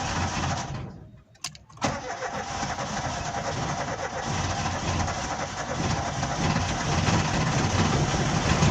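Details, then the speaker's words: Corsa Lite 1.4: brief cranking then catches within about two seconds into a steady idle, but starts only when the gas pedal is pressed. "so this car doesn't start okay actually it start but it only starts when i press my foot on a gas"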